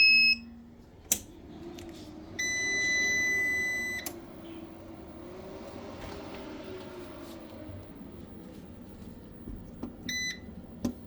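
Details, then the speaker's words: Repaired UPS running with 225 V output: its cooling fan hums weakly and turns only sluggishly, with unit beeps and clicks. The fan needs replacing; overheating likely caused the UPS failure. "але що я чую, вентилятор так і проситься під заміну. Чуєте, як гуде? Він воно обертається, але так ледве-ледве скоріш за все перегрів і став причиною виходу з ладу даного безперебійника."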